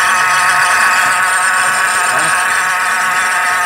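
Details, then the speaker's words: Car at idle with a loud, constant whirring rattle and steady whine from the belt area, seemingly coming from low down before the belt is removed. "esse barulho mais Sec sa ó ess carro provavelmente essa pea agora ess parece tá vindo dali de baixo cara vou adentar aqui agora vou tirar a correia"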